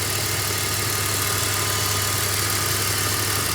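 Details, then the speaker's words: BMW X3 after replacing the water pump (play, knocking) and chattering belt tensioner: steady, even idle with smooth hum, no belt-drive rattle or vibration; normal idle. "And yeah, major improvement. There's no more vibration noise. The tensioner is actually not vibrating anymore."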